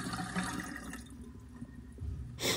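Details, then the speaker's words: GE dishwasher after clearing clogged drain hose to garbage disposal and refitting vent: filled nearly full then cancelled, steady rush and gurgle of water draining correctly, not out of the vent, no overflow splashing; normal draining. "so I'm filling the machine up almost all the way and then I hit cancel and now you can really hear the water draining out correctly not out of the vent"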